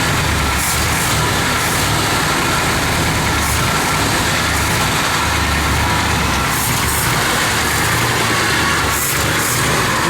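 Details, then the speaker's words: One-owner 1966 Ford Galaxie 500 XL, 428 V8, 4-speed, first running after 30-31 years sitting: loud, steady, even roar with no knocks or misses; running smoothly. "Man, this is crazy. There's a 428 Ford right there running after 31 years."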